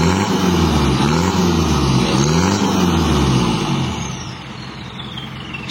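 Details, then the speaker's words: 1982 Toyota Hiace LH11 2200cc turbo diesel after restoration, heard from the rear before test drive: revs rise and fall smoothly with a faint high whistle riding on top as it spools; normal, healthy turbo whistle. "jangkriknya udah bagus sudah sip ini tinggal test drive dan nunggu hasilnya gimana"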